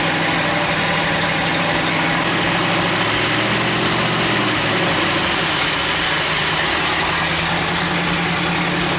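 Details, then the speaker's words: Twin-turbo LS-swapped foxbody Mustang (1200hp) just after the water pump was refitted and coolant bled, Holley ECU, throttle body opened slightly for more airflow: loud, steady idle with constant hiss over an even low rumble, no stumbles or hunting; normal idle. "all right so let's see if that actually helps it maybe it's just lacking pretty much air flow hell yeah that sounds good"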